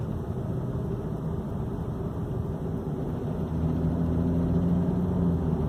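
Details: 2014 BMW 335i, completely stock, in drive under load: low loose rattle building as load comes on, with A/C on or off; source not identified.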